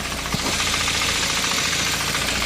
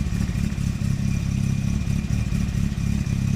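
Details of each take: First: Nissan Primera P10 1.6 carbureted engine, warm, after engine restoration and gasket change: even idle with steady rhythm and no knocks, misses or hunting; normal warm idle. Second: Circa 1991 Nissan Primera P10 1.6 carburetted petrol, cold start after engine gasket work: chugs unevenly, stumbling, needs throttle or stalls, light blue smoke; damaged carburettor valve not opening, too little air; fine when warm.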